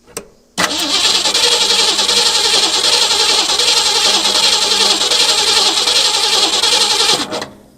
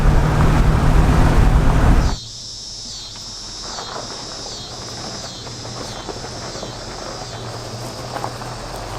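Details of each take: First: 1963 Ford Galaxie sitting for a couple of years, fresh battery: starter churns steadily about three and a half turns per second for six seconds but never catches; fuel tank suspected nearly empty, not confirmed. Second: 1963 Ford Galaxie V8 cruising on the road after revival, vacuum advance fixed and exhaust leak gone: steady, even low drone, engine laboring less, no knocks, rattles or exhaust puffing.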